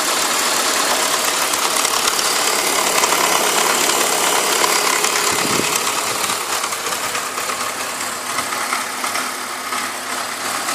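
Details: BMW E46 petrol engine idling with a light, fairly regular tick, about three a second, over a hissy running sound; owner says this is not normal for an E46.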